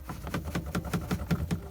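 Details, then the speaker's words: Renault Kangoo 2, trim removed: the rear speaker bracket, shaken by hand, gives quick hollow plasticky clatters about five a second; it moves although its bolt is tight, rattling on the bolt; loose speaker bracket rattle. "І коли ми зняли обшивку, там є кронштейн, який тримає динаміки задні. І він рухається, дребіжить."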